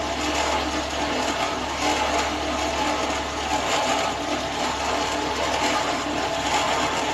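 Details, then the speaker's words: Renault Sandero 1.6 8-valve, owned one month, running: a harsh, busy rattling clatter from the cylinder head area at a steady pace. Owner first thought it was an engine mount. Engine top-end noise of unknown origin. "O carro começou a fazer uns barulhos, né? Eu vou pôr um trechinho do vídeo aí."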